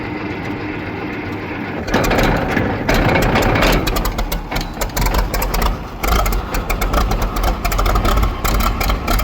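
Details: Case 500 diesel tractor at about 65°F, started with decompression lever up and in neutral: catches after a short crank and settles into an even, steady idle clatter; runs clean and healthy.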